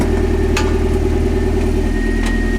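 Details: Mazda Miata after welded crankshaft repair: steady even idle with a smooth low thrum, no knocking or misses; engine sounds healthy. Normal idle.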